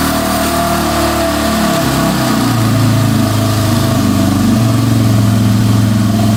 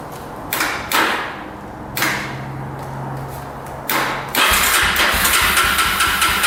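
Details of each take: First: 2005 Yamaha TTR250 that had sat for years without starting, after replacing a too-long carburetor needle that blocked fuel: crisp, even exhaust beat climbs cleanly on the rev and settles back steady, no ticking or misfire; normal running. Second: 2005 Yamaha TTR250 single-cylinder, sat unused, reportedly running a couple of years ago, petcock on reserve with choke pulled: starter spins in repeated short bursts and never catches; crank no start from fuel starvation, with a leaking petcock.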